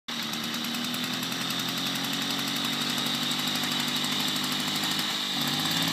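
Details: 1972 Motobécane 40V moped, first start after cleaning and engine overhaul: busy, crackly two-stroke buzz at an even fast beat, picking up slightly near the end; runs cleanly, no misses or knocks.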